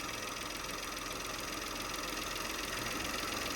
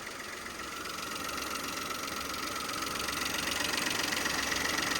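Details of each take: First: Peugeot 2008 GT Line 2017, no engine management light: quiet, even idle with only light injector ticking, no misses or rough patches; running fine. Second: 2017 Peugeot 2008 GT Line, first start after a wet timing belt change: rough idle with a steady fast patter and hissy edge. Owner suspects a vacuum leak or pipe, or a plug or sensor left unplugged.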